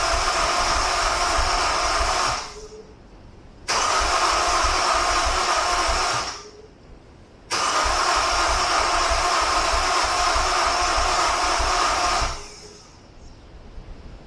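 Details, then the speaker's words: Honda S2000 with injectors disconnected to clear suspected flooding; three separate cranking bursts of a few seconds each, engine spins evenly but never fires; cranking no-start, flooded engine. "I'm gonna see if I can get it to crank, so maybe we can get some of that maybe still floated. I don't know."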